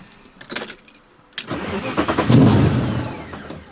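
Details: V8-swapped BMW E30 after a rally, restarted after idling fine: clicks, starter catches, V8 fires and surges, then fades as though about to die; stalling after restart.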